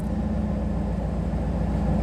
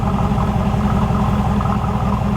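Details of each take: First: Chevrolet Camaro IROC-Z idling with the OBD1 scan tool plugged back in, which puts the GM ECM into service mode: steady idle slowly creeping up past 900-925 rpm; high idle caused by the scan tool. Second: Chevrolet IROC-Z Camaro with a new engine and GM OBD1 ECM, heard at the rear exhaust. With the scan tool unplugged, idle settles at about 600 rpm with an even pulse and no misses or hunting. The scan tool was causing the high idle.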